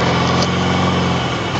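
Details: 1993 Mazda RX-7 turbo rotary idling: buzzy idle with a steady, sustained tone over the exhaust note; turbo whine of unknown cause.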